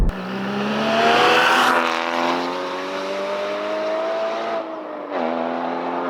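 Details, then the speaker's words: 981 Porsche Cayman GT4, windows open on a tree-lined road: clean rising howl climbing with revs, dropping on the shift, then pulling again; a barking, healthy exhaust note under acceleration with no rattles. "it's just got such like a bark, and like it's hard to describe. It's quite a unique sound, but it just makes you want to floor it even more."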